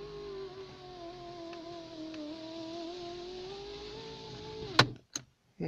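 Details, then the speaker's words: Citroen BX electric window motor whines with wavering pitch as the glass goes down, then sharp clacks at the stop; runners sound gritty and not slidy, slow window from dry runners, fix is greasing them. "but shake going down you can hear it's very gritty inside slide Ian you know not very slidy"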